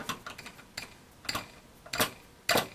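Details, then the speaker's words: Hot air corn popper disassembled, fan motor shaft spun by hand: scattered dry ticks and scrapes instead of free coasting, not spinning as freely as it should; motor bushings worn out. "Oh, there's a screw. That is not spinning as freely as I think it should."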